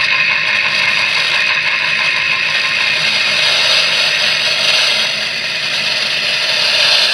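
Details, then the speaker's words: 2016 Mitsubishi Outlander after CV axle replacement, chassis ear sensor at the middle support bracket: hissy scraping with faint ticks three to four a second, same as before. Noise suspected from the CV axle bracket, not confirmed. "yeah so basically the noise is coming from from a CV axle from the bracket"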